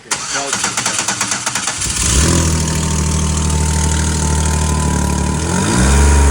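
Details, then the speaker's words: Rock-crawling buggy starting after an engine reinstall; quick cranking catches into a loud, uneven idle with revs and a sharp puffing edge, a suspected exhaust leak that needs tightening; it then ran fine. "It sounds like you got an exhaust leak. Yeah, I have to tighten it up again."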